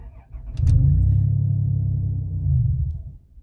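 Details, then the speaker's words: Older Chrysler van with non-chipped spare key, security light blinking: engine catches, low rumble about two and a half seconds, then immediately stalls as immobilizer rejects key lacking chip. "it immediately stalls because it knows that there's no chip inside of there"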